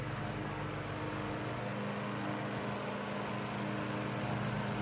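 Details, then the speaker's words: 1941 Gilbert oscillating fan (12-inch per title, 10-inch per owner) on high at 0.63 A with oscillation engaged: steady, even motor hum, no rattle or ticking. The rattle it had before did not appear this time. "Well, it's not making that strange rattle like what this fan did before, so it's probably hiding that so the viewers don't know that this fan was having a problem before."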